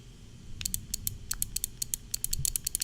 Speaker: it's very easy for me to tell when it's on because I can hear it just like I can hear the Thunder but it's probably not as easy for you guys